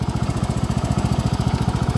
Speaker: yeah I'm pretty happy with this it runs really really good